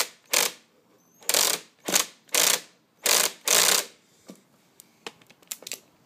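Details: Hobbyking 1/5 scale nitro bike that won't start. Ratcheting starter pulls, then jerky stabs that stop dead as the clutch/drivetrain locks up, even at slow rotation, after the clutch spring ends were reconnected. Clutch should only engage at high revs; cause suspected, unconfirmed.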